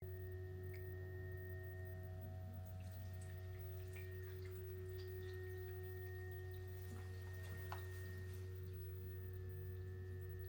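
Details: Two GoodWe Lynx Home D 5.0 batteries (10 kWh) in a basement: while charging or discharging, even at 1.5 kW, the cooling fans drone with a strong low tonal hum and higher whines at 43–45.5 dBA, against a 35 dBA spec.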